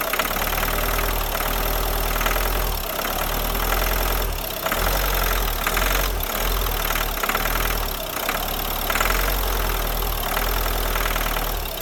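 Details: Renault Scenic 3 2013 1.5 dCi 110 diesel: rough, hard clattering that swells as revs rise and eases as they fall; clacking on acceleration, injection problem suspected.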